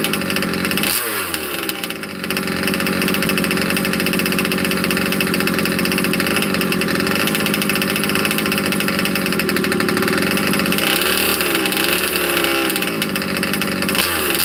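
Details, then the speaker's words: Cold 2-stroke engine in a 30 Degrees North 5th-scale RC truck, unrun for 2–3 weeks, started without choke: high buzzy drone, throttle blips rise and fall cleanly, settling to a steady idle; healthy. "So, started without a choke. She's cold. Hasn't been run for about 2 3 weeks."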